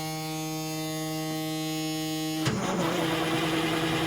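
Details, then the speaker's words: 1987 Kenworth T600 with 3406B diesel, sat in a field over 20 years, first start attempt with fuel gravity-fed to prime it: a buzzer sounds, then it cranks evenly without dragging or grinding and oil pressure comes up; cranking is healthy. "the crank's good oh look at that we got oil pressure"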